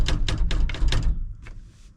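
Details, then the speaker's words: 1966 Ford F250 4x4 after floor sound-deadening: about five quick rattling clunks then a loose thunk; door glass rattling, window seals and velvet channel suspected worn, may need replacing. "The glass is gone. And I imagine I probably ought to order some window seals and velvet. That could get really annoying going down the gravel road."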